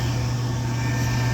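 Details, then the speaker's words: Rheem furnace after inducer motor replacement: the new 1.3 A motor gives a steady, even low hum with no rattle or scrape. Draft reads -1.0 in water column and amps are good. Normal operation, much quieter than the old motor. "And this is a 1.3 amp motor. Amps are good, and it sounds way better than this one here."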